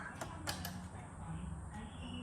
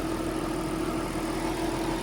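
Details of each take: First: Nissan R33 Skyline GTST RB25DET, rebuilt and first start after swapping fuel filter/regulator hoses, cranks and catches roughly on a couple of cylinders then dies; fuel starvation, owner plans to check fuel pump. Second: Nissan R33 Skyline GTST RB25DET after rebuild, idling cold after split fuel hoses were fixed with an Aeromotive pump and new lines: even, steady hum with no misses, knocks or hunting; owner later worried about oil pressure.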